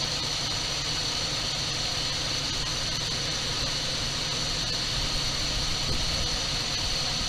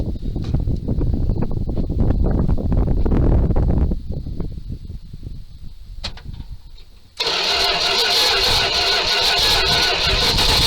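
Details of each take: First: 1978 Dodge D200 crew cab, 318 V8, abandoned 17 years, sold as having a broken crankshaft that clattered badly. Running after first start on carburetor-fed gas, it idles even and steady with no knocks or ticks. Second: 1978 Dodge D200 crew cab, 318 V8, abandoned 17 years. Start on gas plus ether: long uneven cranking with sharp pops, then it catches and runs loud and ragged, backfiring. Owner unsure whether timing is off or carb work is needed.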